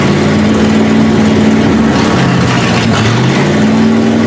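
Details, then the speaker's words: 1971 Ford Ranchero at its first start, carburetor needing work, choke had been stuck shut; loud, fast, steady drone that won't drop to a slow idle: high idle, vacuum leak suspected. "it almost sounds like it's still got a vacuum leak it's possible that the i know the carburetor needs work"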